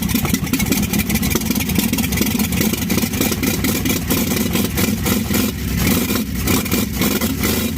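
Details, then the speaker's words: 1952 Chevy first start with new Autolite plugs and old starter, vapor seen coming from the fuel line outlet: chugs unevenly with a ragged, lumpy beat and light tapping on top; runs rough, owner says carburetor work needed. "she runs oh yeah i got a little carburetor work to do but she runs"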